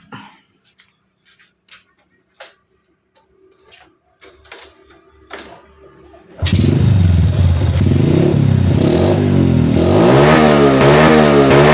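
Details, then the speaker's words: Honda Supra motorcycle with a Vario 110 piston and a Keihin carburetor from a Ninja, before diagnosis. Started and revved repeatedly, it climbs, then flattens and stumbles near the top; low end fine but no top-end power: high-rpm bog. "jadi kayak gitu ya setelah dinyalain motornya dia Atasannya itu ngok ya teman-teman jadi Atasannya itu gak ada tenaga"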